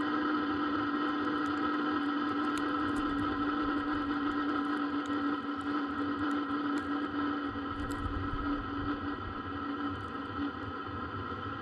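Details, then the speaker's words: Webasto parking heater in a Sherp running normally at about 25°F, heard from outside the vehicle: a loud, steady, even hum with a fixed low drone. It is loud outside, not inside, and heat can be felt coming off it. "this is just the Lobosco heater [Music] so as you can hear it it is loud not on the inside that on the outside you can feel a little bit of the heat coming off"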